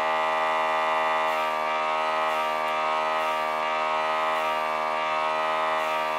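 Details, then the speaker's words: Budget AliExpress airbrush kit diaphragm compressor running from its power supply, airbrush loaded with water: steady, fairly loud buzzing hum at fixed pitch, no knocks; normal but loud running, better placed off a bare table. "как мы слышим достаточно громкий звук бюджетный сегмент"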